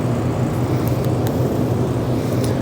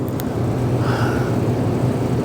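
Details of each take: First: Shop overhead heater above the alignment rack, outside temperature in the 30s °F; steady, deep, even roar with no knocks or surging. Heater running normally at high output, blamed for disturbing alignment cameras. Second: Overhead shop heater roaring above the alignment rack in 30s°F weather, steady deep even roar; it was blamed for disturbing the alignment camera readings during alignment of a 2016 Kia Optima Hybrid.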